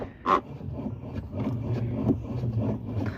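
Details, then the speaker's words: Brastemp/Consul top-load washer after repairing its noisy agitation: low even churning hum with soft swishes and no plastic clacking or scraping; the old noise is gone and the agitator turns freely. "barulhada toda acabou tá girando livremente agora"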